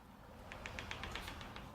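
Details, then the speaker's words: Newly assembled wardrobe sliding door: quick run of sharp, even clicks as the door rolls, caused by a burr or bump on one top roller, damaged in assembly or defective from the factory. "так сделали гардеробную собираюсь уже уходить и когда снимали видео ролик рекламные обратите внимание когда григорий двигай дверь слушайте звук вы этого счета щелканье то есть этики"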